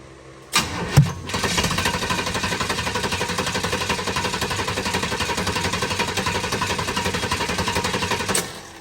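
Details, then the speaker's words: 1932 Ford Model B Highboy roadster, built 383 roller V8 (525 hp), first start after fitting EMPI HPMX carbs on a Pierce 8-stack IDF intake, possibly flooded: steady cranking about two turns a second with weak ragged firing; ignition timing 180° out. "that the timings 180 out let's work on that"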